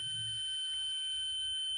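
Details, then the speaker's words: 4440 IC amplifier board, multimeter in continuity mode across minus and plus supply rails: steady unbroken high beep; dead short on the supply rails. "और जो plus है इसमें देखिए इसमें देखिए लगाने पर यह मल्टीमीटर जो है शॉर्ट की आवाज कर रहा है या बीप कर रहा है तो इससे आपको यह ज्ञात हुआ कि आपका जो सर्किट है वह आपस में कहीं शॉर्ट"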